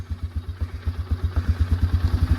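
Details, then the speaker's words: Polaris Sportsman 400 ATV after post-crash repairs and a replaced recoil rope, started on the first pull without choke: even single-cylinder thump at about eight beats a second, steady with no knock or miss. Normal idle. "First pull. [Music] She started right up. actually that was chokeless, too."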